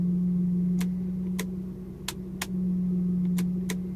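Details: Lexus SC400 at idle: sharp, uneven ticks roughly every half second over a steady low hum, with vibration, louder with lights on; power steering already flushed; owner suspects alternator or transmission mount, unconfirmed.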